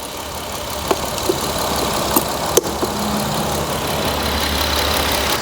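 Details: 2007 Jeep Wrangler 3.8L V6 at idle: stumbles unevenly with sharp pops about a second apart; cylinder two misfire persisting after new plug, coil wire and injector, traced to failed ignition coil.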